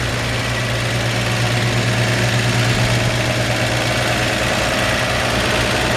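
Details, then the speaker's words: 1954 Chevrolet 3100 5-window pickup, straight-six, still warming up on its automatic choke: a steady, smooth, slightly fast idle; the idle is a bit high, and the owner would turn the idle screw down a hair. "So I believe it's got that automatic choke. When it warms up, it starts to come down a little bit. So it sounds like it's idling up a little high."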